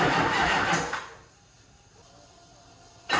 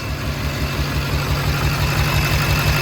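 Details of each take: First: HMMWV Humvee with Duramax LBZ diesel swap, first start after FASS fuel system install: uneven starter churn, pause, more cranking, never catches; owner thinks fuel must be primed properly. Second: Duramax LBZ diesel in a HMMWV Humvee, just after first start with new FASS fuel system, checked for leaks: steady, even idle with regular low throb, no smoke, no fuel leaks, no exhaust manifold puffing or ticking; healthy.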